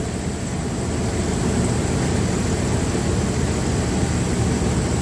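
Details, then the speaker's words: Dodge Ram 1500, believed 3.6 six-cylinder, at idle: a rough, loping idle with an uneven beat and a missing pulse. Timing-light flash counting shows the rear cylinder not firing. Plug suspected, not confirmed. "Looks like that's where our issue's gonna be. Yeah, there's our problem. Look how slow it is. It's not even firing."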